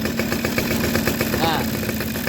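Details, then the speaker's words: Suzuki RC two-stroke motorcycle idling steadily with a light buzzy note and no misfires while the spark plug cable is pulled back several millimetres; spark still jumps without throttle, showing strong, normal ignition. "oke ya teman-teman walaupun sepeda motor ini tidak saya gas motor ini normal apinya saya jauhkan sampai beberapa mili itu masih eh nyala ya itulah e api yang bisa dikatakan yang bagus ya"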